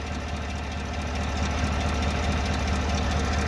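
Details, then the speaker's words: 6.2 V8 after engine replacement, test drive at idle at turnaround: steady fast tick about three per second over low rumble, owner says like a rod or lifter, yet no misfires felt; ticking knock at idle. "Oh, okay, I'm gonna head back. This is crazy. Like a rod lifter. But I'm not getting any misfires or anything."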